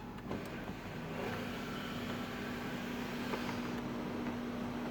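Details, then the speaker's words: 2005 Audi A8 sunroof wind deflector motor after paper was wedged between the motor and its brace as a temporary fix for a tolerance noise: smooth, even low hum through full travel with no grinding; normal operation, noise gone. "that is our noise it's gone okay now that's a pretty temporary fix I mean it may last a while it may not"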